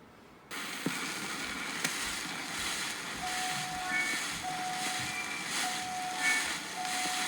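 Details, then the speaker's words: Victrola 8-in-1 stereo playing a 78 record with the LP stylus: steady loud hiss with a swish once per turn under thin, distorted music. "you played it with the LP styles. You can hear the hissing in the background. It sounds really distorted, but it sounds fine,"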